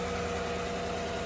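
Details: 2015 GMC Sierra 1500 5.3 L V8, just started after the thermostat and temperature sensor were replaced, with about three quarts of antifreeze lost and a little smoke, probably from spilled antifreeze burning off. It gives a steady, even V8 idle rumble with no knocks or misses; the fan no longer runs constantly, so it is fixed.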